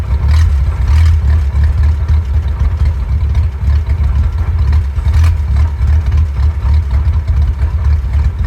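Old four-cylinder idling low and lumpy, the beat uneven with occasional stumbles; it's running rough, cause not obvious.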